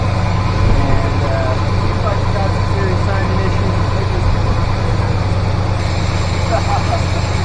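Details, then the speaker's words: 1985 GMC C25 with 454 7.4L V8 and Turbo 400 transmission, fuel delivery problems ongoing; idles lumpy and uneven with a stumbling beat. Rough running, likely a misfire; disconnecting plug wires changed little, so spark plugs are planned next. "Well, she didn't quite run good enough to take her around the block."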